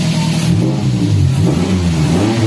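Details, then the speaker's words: Daihatsu Gran Max after the clogged catalytic converter was fixed: revs rise and fall cleanly, smooth and unrestricted. RPM sometimes hangs, so the throttle body still needs cleaning. Normal revving. "Suaranya benar-benar berbeda. Lancar,"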